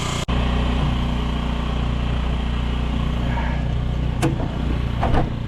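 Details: 2007 Honda Metropolitan 50cc scooter after carburetor cleaning for low power, started by jump since the battery was dead: quick start, then an even steady idle buzz with no stumbles or misses; running healthy.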